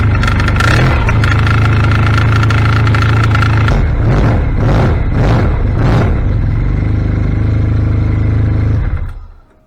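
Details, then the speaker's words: 2016 Arctic Cat ZR5000 two-stroke after Team Industries Rapid Response drive clutch repair: revs up and falls back several times, smooth and even, the earlier drive-clutch rattle gone. "let's fire up see if she uh makes any new noises and hopefully the old noise is gone Hur yeah I don't hear the engine knocking anymore"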